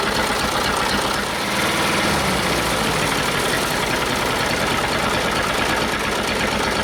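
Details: Detroit Diesel two-stroke in a cheap, long-sat dozer (one cylinder was full of water) runs on only 2 of 4 cylinders; compression 150, 90, 0, 0. Loud, lumpy, loping idle; rough idle with two dead cylinders, possibly from stuck valves.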